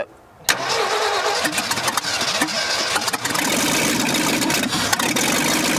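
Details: 1965 Ford F100 dug out after years buried, neglected engine: ragged, uneven starter cranking for several seconds without firing; crew suspects not enough fuel or too much air, having to pump the pedal hard.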